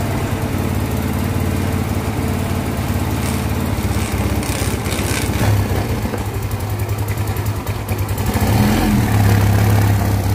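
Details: Yamaha Mio Soul carbureted scooter after top-end rebuild (seized, locked connecting rod from oil problem; cam and rocker reconditioned), first start once reassembled: catches and settles into steady thumping idle about three beats a second, no knock or rattle, oil rising; normal.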